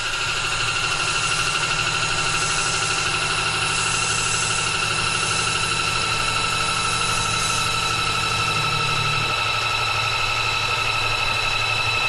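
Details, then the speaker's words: Sunfizz 12V 60 L/h boat watermaker (nearly 50 hours of use) just started, with its enclosure closed to cut noise. A steady, even motor hum with a constant high whine, no knocking. Normal pump running. "Là on a démarré le dessal. On va refermer pour le bruit. C'est déjà mieux."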